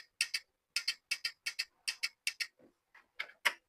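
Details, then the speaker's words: 8-pin glass relay on training panel, green push button pressed without common/latch wire connected: sharp clicks in quick pairs, coil pulls in and drops straight back; relay coil not latching until common contact wired. "जैसे ही हम green को दबाते हैं तो ये coil जो energy हो जाती है। अभी ये होल्ड नहीं हो रही। क्यों होल नहीं हो रही? क्योंकि हमने इसका कॉमन नहीं लगाया।"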